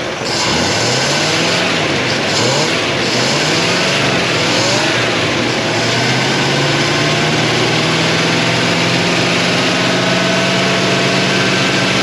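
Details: 1957 Chevy Bel Air, likely a 283 small-block V8, garage kept since '76, fuel pump working. The revs surge up and down, then settle into a slightly lumpy run after flooding. They suspect something stuck in the carburetor and are letting it run the carburetor dry.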